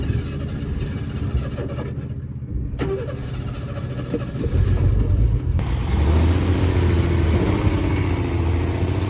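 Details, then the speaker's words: 1976 Ford Pinto after fuel pump was rigged with wiring run over the hood, pump not bad: starter cranks, engine catches after a few seconds and settles into a steady, even, healthy low idle. "Hear it working now? Oh yeah. Yeah, it's working now."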